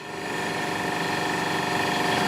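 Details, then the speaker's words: Old refrigerator salvaged from an abandoned shack, compressor starting up: hum swells then settles into a steady, even drone that gets quieter; refrigerant working, compressor running normally. "oh listen to that listen to that listen to that compressor that's an opportunity knocking that's for sure mark the close compressor rodney listen to that it's getting quieter that's a good thing"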